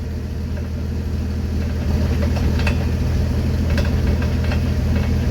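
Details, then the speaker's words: 1974 Ford F-250 Ranger SuperCab, 4.9 L 300 I6: occasional sharp clunks over a steady idle when in fourth with the clutch let up, from the never-greased driveshaft slip spline, not the transmission or U-joints. "it's right there in that spline it sounds like it doesn't sound like the U-joints coming apart"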